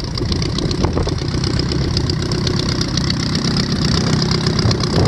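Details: VW Type 1 engine on its first run after new valve adjustment screws: uneven, lumpy low idle with no sharp ticking or clatter from the valvetrain; sounds healthy.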